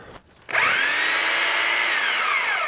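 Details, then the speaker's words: Porter-Cable model 2621 3/8-inch corded electric drill run at speed 1 and speed 2 in hammer mode, then drill mode; quick spin-up to a steady, even high whine with no grinding or rattle. Normal running. "Alright, that's speed 1. Speed 2. And those were both in hammer mode, and here's drill mode."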